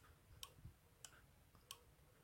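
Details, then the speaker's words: Honda ST1100 Pan European brake light switch at the front brake lever and master cylinder, worked by hand. Four crisp clicks about half a second apart in a quiet room. The switch operates cleanly; normal. "À noter que vous entendez un petit clic-clic, c'est le contacteur électrique. Quand je freine, ça relâche le contacteur et qui fait clic."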